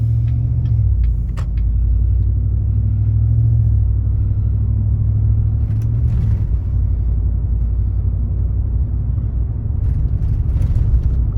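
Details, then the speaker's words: 2019 Chevrolet Silverado V8 with a Range Technology AFM disabler plugged in and bullet exhausts, under light throttle climbing a hill. A deep, heavy droning boom: the engine is still dropping to four cylinders despite the disabler, causing exhaust drone. "I think I still drop the cylinders it sounds like he's drumming it again see let me get over this hill"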